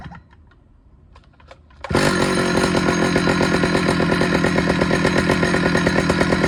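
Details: Stihl 009L chainsaw after fuel line and oiler work: quiet handling, then the saw catches and holds a steady, even, crisp buzz with no misses or surging; it runs, oils and cuts well.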